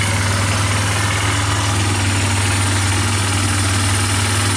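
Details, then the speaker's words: Yamaha Bear Tracker 250 (YTM250) ATV single-cylinder idling after a new carburetor and intake, lights on and owner thinks it's charging, no smoke; loud, steady, even thump with no misses or knocks, a normal smooth idle. "I'm pushing it in for now wow even going to idle got to love that"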